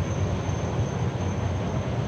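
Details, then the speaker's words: Oversized EG-11 two-pipe steam boiler at start-up: even, deep roar with no pulsing, flutter or rumble as the burner fires cleanly at about 12–13 inches water column pressure. "firing away that pressure is about 12 13 inches of water column which is just a little less than a half a pound so that's going to start tripping off in a few minutes"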